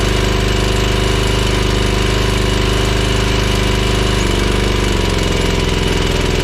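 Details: Ferris 52-inch commercial hydro walk-behind mower twin, now firing on both cylinders after a suspected bad spark plug: loud, uneven chuffing with a lumpy note, still smoking and not making full power under load; rough running, cause not yet confirmed.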